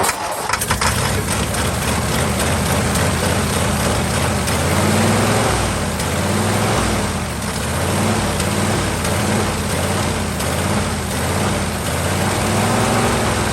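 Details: 1949 Ford truck with a swapped-in Ford 312 Thunderbird V8, sitting about 45 years, restarted warm, idling with throttle all the way down: loose, uneven chuffing beat with a soft rough edge, consistent with worn rings and blow-by.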